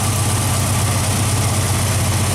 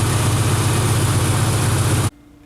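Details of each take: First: Straight-six petrol engine idling after switching back from a Pertronix unit to points ignition: a rapid, even tapping tick from an exhaust manifold leak, with the center cylinder blown out; tightening was tried, and the gasket may be blown. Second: Straight-six engine just converted back from a Pertronix unit to points ignition, idling with an even, steady low rumble before cutting out; an exhaust leak at the center cylinder had just been tightened.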